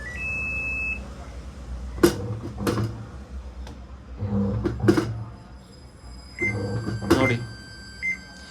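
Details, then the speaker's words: Samsung top-load washing machine not rotating, in test mode checking motor rotation: after clunks, three short high beeps about a second apart; error 3, meaning motor, motor wire or board fault, here suspected board IC. "ಈ three error ಬಂದರೆ ಒಂದು motor fault ಇರುತ್ತೆ, ಇಲ್ಲ ಮೋಟ್ರಿಗೆ ಹೋಗಿರೋ wire fault ಇರುತ್ತೆ, ಕಟ್ಟಾಗಿರುತ್ತೆ, ಇನ್ನೊಂದು board problem ಇರುತ್ತೆ."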